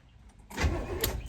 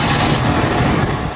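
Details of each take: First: 1971 Chevelle Malibu small-block V8 with new battery, first crank after sitting 20+ years: starter grabs and spins the engine briskly and evenly, good cranking speed with no drag or binding. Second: Early-1970s (1971) Chevelle Malibu small block, first start on choke after 20+ years sitting and cleaning corroded distributor cap: briefly roars, sags, then pops as it dies; backfiring, carburetor or air-fuel mixture suspected.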